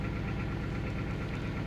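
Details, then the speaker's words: 2000 Toyota Celica GT 1.8L after swapping the cylinder-two coil to cylinder one: low, lumpy idle with an irregular stumble, and once in closed loop the misfire follows to cylinder one, with three also failing; misfire from failed ignition coils. "like I said that's another one that's pretty much a dead coil there you go once the vehicle goes into Clos Loop that's when we tend to get the c number one mfire or that that one B coil pack that's dead starts to give you a mire counts"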